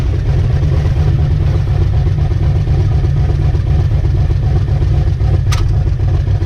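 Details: Ricky's 750 blow-through carburetor on a V8, with a 6.5 power valve, no pump shot, under test: a deep, steady rumble at a constant level with no stumble or surging; best it has run so far, normal running.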